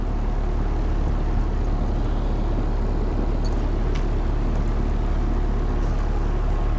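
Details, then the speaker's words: Air conditioner outdoor unit on a no-cooling call: steady fan hum with no compressor running beneath it; line not cold, contactor looks rough, cause suspected not confirmed. "I'm not sure I hear the compressor."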